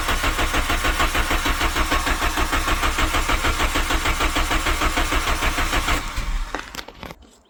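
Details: 1997 Volkswagen Vento 1.8 automatic after replacing vacuum lines; steady, even cranking pulses for about six seconds with no firing, then starter released; cranks but won't start, fuel drain-back or coil suspected.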